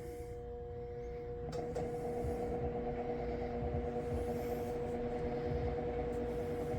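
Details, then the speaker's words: Fan rated 120 V 0.8 A running on a Ryobi 120 V 120 W inverter: a loud steady electrical hum over the whoosh, and it spins slower than usual. The modified, non-pure-sine output makes the motor hum. "It's not moving as fast as it normally would. And it makes a loud humming sound."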